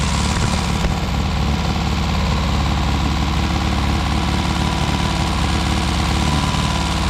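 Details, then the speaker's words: Four-cylinder car restarted after sitting about 35-40 years, cold, choke needed: low, lumpy idle, occasionally firing on three cylinders; owner suspects rings and valves still recovering. "there's not even that much smoke I think it's it sounds like it's firing on three occasionally for maybe that's just the Rings and the valves coming back to L"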